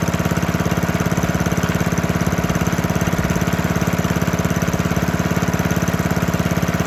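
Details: Worn 1972 Hayterette mower, cold, on fresh fuel after six to seven months unused and hard starting: rapid, very even popping beat at steady speed, no misfires or surging; runs strong once going.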